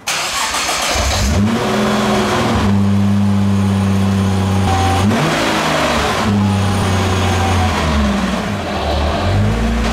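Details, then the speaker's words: R35 Nissan GT-R starting and idling with a coarse metallic rattle that changes when shifted into drive; a badly worn flywheel housing stops the propshaft turning true and shakes the catalyst and muffler. The rattle was gone after the housing was replaced. "入れてみたいこの音ですねこのガラガラガラガラどうぞんこれでちょっと車上げて下から行ったほうがいいかもしれません"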